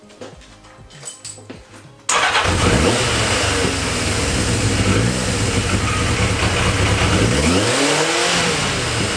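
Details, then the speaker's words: Yamaha XJ650 motorcycle first start after battery charge and engine service: fires at once, steady even run with a couple of smooth revs, no misses or knocks; normal idle, possibly needing only idle adjustment. "it seems to be running ok just the idle so I think just need some idle adjustment that's all I think it needs it seems to be really really smooth"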